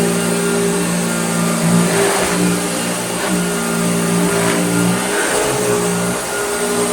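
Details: Vintage Hoover Dirtsearcher Junior vacuum after full restoration with a new pattern armature replacing a bent one that made it vibrate badly, steady even motor hum with no grinding or rattling.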